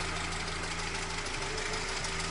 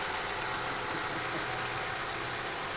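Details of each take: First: Chevrolet with a light, steady ticking knock over an even idle from the throttle body area; advice is to remove the intake manifold and replace the throttle shaft and plates, suspecting play in the worn shaft. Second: Chevrolet after repair of knock near throttle body, traced to intake manifold flap rod/retainer, manifold removed and parts replaced (about 5 hours): steady, even idle, no knock or tick, one brief click; normal idle.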